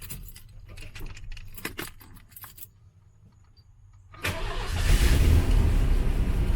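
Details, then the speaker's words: 1989 Ford F-150 4.9L 300 straight-six after severe overheating: cranks and catches, then lumpy loping idle with uneven beat; dead miss, one cylinder down, owner suspects head gasket, compression test planned. "so this is the 300 straight six which is normally a super smooth motor um and it ran pretty smooth previously but i'm thinking she's down a cylinder too"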